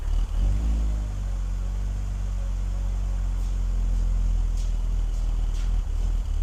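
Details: BMW E46 330i at cold start idle; low uneven lope unchanged when the mass airflow sensor is unplugged, so MAF not the cause; owner plans to clean the idle air control valve next; loping idle.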